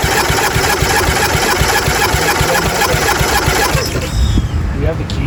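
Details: 1997 Murray 30575X31A lawnmower, freshly un-seized engine reassembled, spark not rechecked: starter spins it with an uneven chug about four beats a second, never firing; cranks without starting.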